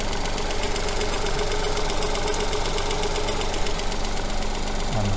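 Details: Petrol engine with coil-on-plug ignition, at idle during an oscilloscope coil check with a coin on the coil. Steady, even idle with a smooth low rumble and no misses or knocks. Normal idle.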